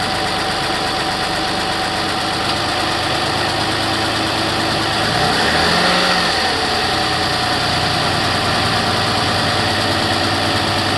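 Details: 2008 Toyota RAV4 V6 at cold idle: fast, fairly regular light ticking over the engine hum, slowly getting louder after cold startup.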